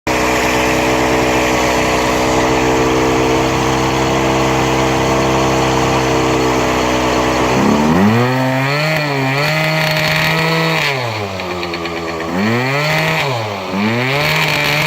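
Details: Yamaha Aerox two-stroke scooter: buzzy idle then several revs with harsh rough noise; owner suspects crank bearings, not confirmed.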